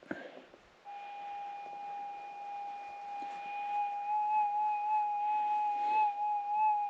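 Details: Minelab GPX 6000 metal detector held about four inches above ground, volume up, sensitivity turned down and retuned: steady mid-pitched hum with a faint, gently wavering higher overtone. This is the normal settled threshold, ready to hunt.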